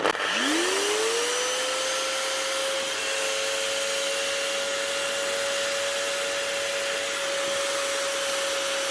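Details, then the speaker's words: Galeski Polifox wet polisher after a bearing replacement, with non-matching new brushes and the armature still sparking. The motor spins up to a steady high whine with faint gritty roughness underneath; the gear head sounds rough, cause unclear. Rough gear noise. "But the head, the gears are sounding a little bit rough. They're not exactly right."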